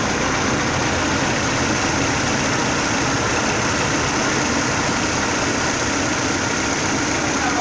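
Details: 2009 Chevrolet Prisma 1.4 with 150,000 km, brought in for a very loud engine noise, idling after repair: smooth, steady hum with no whine, rattle or knock; engine sounds healthy with no abnormal noise.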